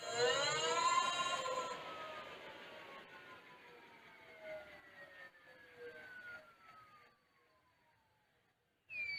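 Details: New 1000W 48V front hub motor on Mk5 frame e-bike conversion, wheel spinning free: clean whine gliding down in pitch as it coasts to a stop, no grinding or clicks; hub motor sounds normal.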